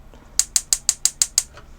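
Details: Swift Conqueror 480 caravan gas hob, big-flame ring held in to bleed air out of the gas system: seven sharp, crisp ticks at about six per second, then silence; the spark igniter is snapping normally.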